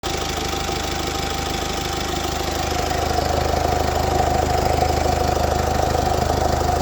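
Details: Mercedes OM654.916 diesel at idle, owner unsure whether it is normal: even idle with a steady rhythmic ticking of roughly 150 per minute and a faint whine above; cause unclear.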